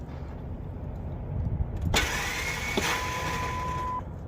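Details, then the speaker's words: Ford F-150 with a used junkyard starter after the cable positions were corrected: a clunk as the key turns, then a high spinning whine that holds for two seconds while the crank pulley does not move. The starter freewheels without cranking the engine; cause unconfirmed. "so it's just making a noise like the start is engaging but the vehicle is not starting it's not moving the main pulley"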